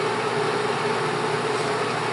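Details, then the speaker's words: Bell & Howell Autoload 8mm film projector motor switched on: steady even whir with constant mid-pitched hum, no rattles or speed changes; motor runs smoothly. "Bien, pues ahora sí vamos a echarlo a volar. Motor, okay."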